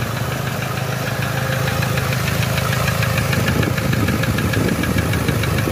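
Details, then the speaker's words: 2007 Toyota Hilux 3.0 diesel at idle: a steady knock about three per second hammers over the diesel clatter; first judged a connecting-rod knock, but teardown found the number four piston melted, with a burnt head. "lá o quarto pistão ó derreteu mesmo batida era pistão hein aqui suspeitado não barulho é muito parecido"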